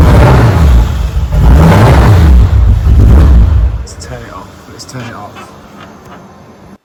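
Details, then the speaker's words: VW Golf MK4 R32 twin turbo, first start with new equipment: revs hunt and stumble unevenly and never settle, then the engine dies; the owner suspects an air leak or overfueling; finding is a vacuum leak and swapped injectors. "right so we've got it running um obviously it's running really really bad sounds like there's um some sort of air leak or I personally think there might be too much fuel going to the injectors"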